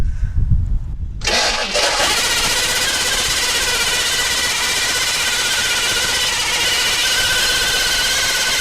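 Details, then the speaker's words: 1964 Chevrolet Impala 4-door hardtop, unrun about 40 years (last registered 1982). Fuel is poured into the float chamber of a likely gummed carburetor; it cranks, catches and runs at a fast idle on that fuel. The starter seems not to release, and a rod-knock or flex-plate noise is suspected. "Now this carburetor is probably gummed up, so it may not actually equate to putting fuel into the engine, but let's give it a shot and see."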